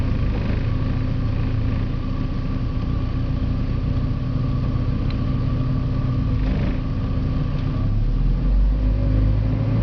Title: Porsche 951 rough idle